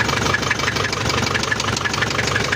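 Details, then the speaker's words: Isuzu Panther 2.5 diesel, started by jump-start before overhaul and turbo/intercooler upgrade: idles with regular sharp knock about six a second plus "krek krek" scraping; mechanic suspects scoring or poor oil supply. "ini ya Lur udah kita hidupkan bunyinya itu ada kemletk juga bunyi krek krek krek gitu kayak bunyi baret kita lihat"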